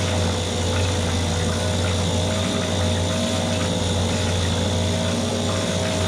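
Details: Mercury 2.5 hp two-stroke outboard after carburetor taken apart, soaked and cleaned; steady even buzz with constant low drone, no misses or surging: normal running.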